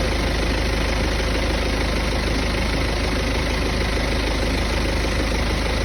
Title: Hear the vibration noise after i have driven it for a while.